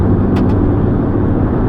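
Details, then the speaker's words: 2007 VW Rabbit 2.5 five-cylinder, 5-speed manual, at highway speed in the cabin: a steady low roar of road noise, louder than normal, from very worn-out tires. "You can hear the really large amount, well, not large, but larger than normal amount of road noise in this car, because it does have these very worn out tires on it"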